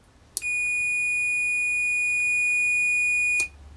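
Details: ESP8266 Relay X2 LC Technology module with a multimeter on the relay contacts: one steady high continuity beep holds for about three seconds, then stops, showing the relay contacts are closed and conducting.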